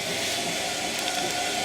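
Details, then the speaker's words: Bosch Classic washing machine motor after repair, on spin: smooth, steady whoosh and hum of the drum with no squeal or chirp. The earlier directional motor squeak is gone, so the motor seems to have settled in. "Sounds like it's working well too. And I remember that squeak in the motor. Whenever I turned it in a certain direction, it would do some sort of squeaking. It appears to have gone since I sent the machine on spin, which is good, so it must have all set in."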